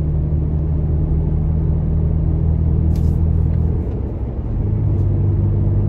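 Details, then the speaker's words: Toyota Tacoma with aggressive off-road tires at about 60 mph on smoother pavement: steady low hum and rumble, even, without thumping or wobble. Really not too bad, normal. "now we're traveling it probably somewhere in the 60 mile an hour range give you a little bit of an idea what what this sounds like again really not too bad"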